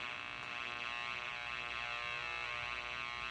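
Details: 1965 Zenith M875C tube radio after repair, previously only filter-capacitor hum: clean steady sound with tones through the upper range and no low mains hum underneath; playing normally.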